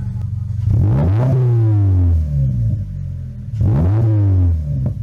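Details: 2025 Toyota GR86 with HKS single-exit exhaust and a newly installed JDL front pipe and overpipe gives two throttle blips with a loud raspy blat, from an exhaust leak at the front pipe flange caused by the wrong donut gasket.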